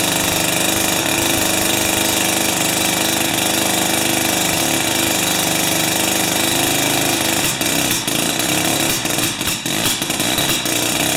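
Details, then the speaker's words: Jiffy 30 3HP two-stroke ice auger on 30:1 fuel, after repositioning the carburetor diaphragm and priming: fast raspy buzz fairly steady with a few rough stutters near the end; starts and keeps running, though it still backfires at full rpm. "okay i think i got it but i still can't get it to rip uh at complete 100 rpms without a backfire"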